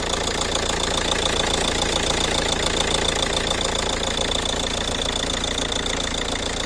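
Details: Ford Kuga: a sharp, even tick-knock about three to four times a second over the engine hum at steady idle; engine knocking at idle, cause unknown.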